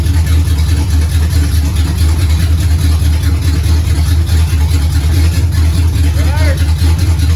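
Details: 1969 Pontiac GTO barn find with a 400ci V8 and a TH400 that needs rebuilding, run on a makeshift dash setup: deep, steady V8 rumble with no knocks or misses. The engine sounds healthy.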